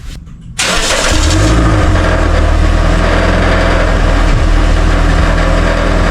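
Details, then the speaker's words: Car idling after attempted bolt fix: tinny buzzing rattle of loose metal against the exhaust under the car; a different loose heat shield panel is the culprit. "So as you can see, as I'm pushing it up, coming back down. This is what's causing the noise."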